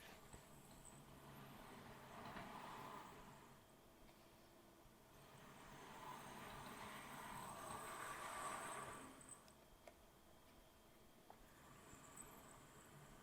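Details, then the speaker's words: Accurascale Class 60 model locomotive, squeaking out of the box, after a first oiling and run back and forth: high chirping squeaks over a soft motor hum, swelling and fading; dry drivetrain still squeaking, only slightly quieter, possibly from multiple points. "Okay, so it still sounds like a bunch of budgies. I think it's ever so slightly quieter. I think there may be multiple points these noises are coming from."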